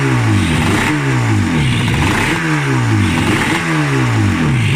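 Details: RD350F1 two-stroke motorcycle, 31K, left in a garden for decades, first start in about 20–30 years after earlier dry plugs: raspy, ringing engine rises and falls about every 1.5 seconds as the throttle is blipped; revs freely.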